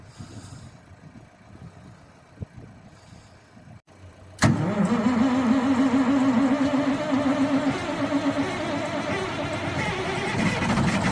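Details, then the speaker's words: MTZ 3522 tractor with CAT C9 diesel running rough with white smoke and a hard knock; cutting cylinder 1 stops the knock and smoke and revs clean, re-enabling it brings both back: faulty cylinder-1 injector. "Ух, как стучит. Так, смотрим, отключаем первый цилиндр, газуем трактор."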